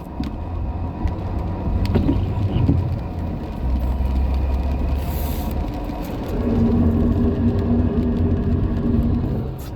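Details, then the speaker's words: A car rolling past on the street makes a low metallic groan and grinding from brakes worn past the pads, inspected elsewhere under 30 days earlier, now likely needing rotors too. "brakes are just about shot this thing's grinding so bad they just costed themselves triple the expense to fix their brakes"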